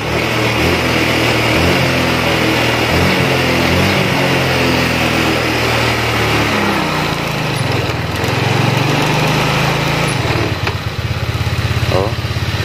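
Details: Honda Vario 125 ESP scooter, injected: idle sometimes normal, sometimes climbs high on its own and hangs before dropping back, sensors to be checked; idle air control valve fault.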